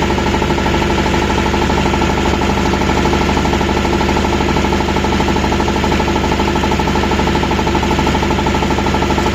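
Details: Refrigeration unit diesel engine running steadily with a hard, regular knock about two or three per second on every cycle; cause unknown.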